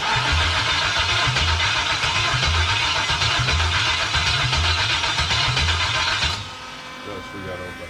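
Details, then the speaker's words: 1977 Pontiac Trans Am with 5.3L LS from a 2001 Tahoe, first start attempt: steady starter cranking about four beats a second for six seconds, never catches; engine computer not getting power, possibly a missed wire. "so we should have been fired off by now so we gotta do a little more investigating maybe I missed the wire"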